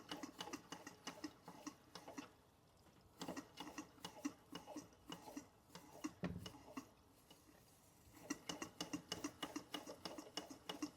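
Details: Bing 10/110 poppet valve toy steam engine on original spirit burners, below 1 bar (about 10 psi), steam oil added, maintenance run: light, quick ticking about three per second in bursts over quiet background; engine-driven water pump working normally.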